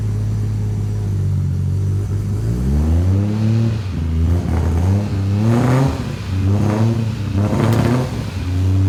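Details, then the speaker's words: 1984 Ford Falcon XE wagon, Barra engine with Haltech Elite 2500 ECU, variable cam timing, R35 GT-R coils, first start: raspy, uneven exhaust note on throttle blips, yet said to run perfectly; rough raspy running. "sounds like a rb with a power fc [Music] it is a bit raspy runs perfectly"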